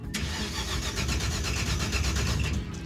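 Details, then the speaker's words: V8 after replacing the Chevy distributor, coil and all the wiring: the starter cranks at a steady, even rhythm with no firing. Crank, no start, no spark; the crew believes two ignition boxes failed. "there's no spark dude this is ridiculous we just spent all that time changing a distributor changing the coil changing every bit of wiring and it was that we had two ignition boxes that failed"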